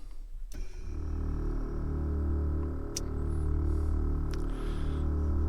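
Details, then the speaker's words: 1992 Ford Mustang 5.0 Fox body with Airtekk stage 2 air ride, about 2.5-gallon tank, raising whole car: sharp click then steady low electric-motor hum and even buzz, heard in cab; air-ride compressor running normally. "so you can hear the compressor kick on there this is a I think it's a 2 and2 gallon tank so lot of demand out of it to raise the whole car up like that"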